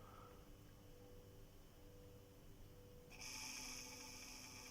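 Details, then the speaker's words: Robot vacuum with failed fan motor, side brush drive run with the brush removed: quiet motor hum then a thin high-pitched steady whine from the side brush drive, bearings suspected; side brush drive whine. "запел Да а щёткой пищит"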